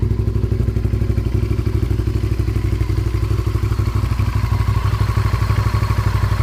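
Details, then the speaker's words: 1998 Honda VTR 1000 V-twin started warm without choke, running on old gas: lumpy, even idle with a light ticking on each pulse. The clicking sound's cause is unclear. "so yeah I'll start it up and we'll see if we can hear that back clicking sound now this is already warm so it is going to start right up"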